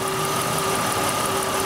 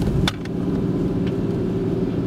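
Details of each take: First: 1996 Oldsmobile Cutlass Ciera 3100 engine at idle: a faint, fast metallic ticking over the hum. This internal engine noise, a slight rod knock or upper-engine noise, is picked up by the knock sensor, and the computer retards timing, causing intermittent low power. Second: 1996 Oldsmobile Cutlass Ciera 3100 engine, knock sensor unplugged: even rumble pulling smoothly under load with no pinging or stumble, and about two degrees of retard. This confirms that false knock sensor signals had caused intermittent low power.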